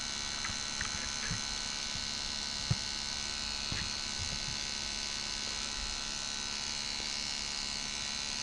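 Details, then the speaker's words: Refurbished 1984 D. C. Johnson FAC-1 K-Jetronic lambda control unit after calibration (default duty 50%, cold/open-loop duty 40%), back in closed loop. The frequency valve gives a steady electrical buzz with faint clicks; the output waveform has a 14 ms period, about 71 Hz. Normal. "This is a static screen capture from the DSO showing the output waveform with period of 14 milliseconds. This also corresponds to approximately 71Hz or 71 cycles."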